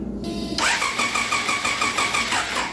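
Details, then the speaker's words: 1999 Triumph Daytona 955i parked for years: starter cranks steadily at about four pulses a second but it never catches; owner doubts the charging system and suspects the engine management system gets no power. "yeah nothing but I don't think it's the electrical well I don't think it's the charging system like the the last guy chased at least I'm not suspect of that yet right now I don't even think the engine management system is getting power"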